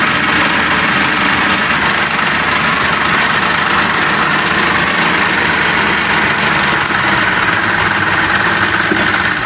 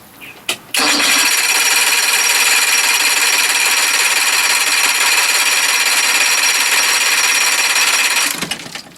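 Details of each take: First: Johnson 60 HP outboard that had no spark, now running after a dangling ground wire was reconnected: steady, even idle with a constant buzzy hum and no knocks or misses. Normal idle. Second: Johnson 60 HP outboard that lost spark while fixing the fast start lever, primer heard, gas smell, possibly flooded: starter whirs steadily about seven seconds with no firing or catching; cranking with no spark.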